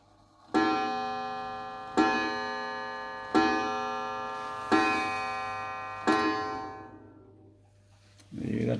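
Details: Mantel clock before service, really dirty: five slow ringing strikes about 1.4 seconds apart, each fading out; strike sounds off, cause not yet found.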